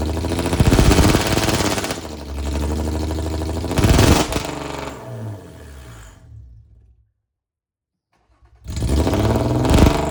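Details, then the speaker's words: Cheap Jaguar with a welded differential and a suspected failing transmission, attempting a burnout: revs surge and fall back twice, then cut abruptly as engine failsafe mode caps the revs. "The Jaguar was displaying engine failsafe mode. So pretty much it was stopping me from being me."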